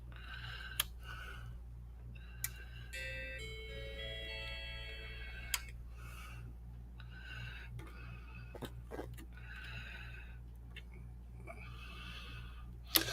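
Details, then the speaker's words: Macintosh logic board under repair, tested with a Macometer: a short run of musical error notes plays instead of the normal startup tone over faint ticking, board failing its startup test; ROM suspected. "Okay, so there's definitely something with the that's strange how with this one it doesn't even want to start"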